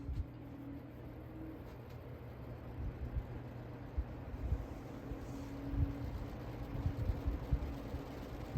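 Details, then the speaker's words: Vintage Happy Home three-bladed box fan, found in trash, running on low beside a five-bladed fan: soft steady hum and even air whoosh, no rattle; heavier blades slow to reach speed but give much more airflow and wattage. "Now, if you notice, the Happy Home fan has heavier blades, so it takes longer to get up to speed, but once it does, it's significantly more airflow, but significantly more wattage too."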